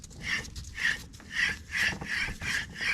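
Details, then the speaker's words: Old front hub removed from a 2nd-gen Cummins Ram, hand-spun: stiff to turn with a dry gritty rasp swelling and fading about once a second per turn, unlike the silent new hubs; worn wheel bearing roughness. "this one pretty i mean it's kind of more has more resistant to turn you kind of hear it though just doesn't sound good"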